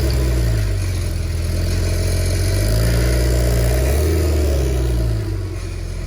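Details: Porsche at cold start and slowly pulling away: loud low rumble, then a fast rattle about four times a second; owner suspects timing chain rattle from failing chain tensioners damaging the guides, with tensioners ordered for replacement.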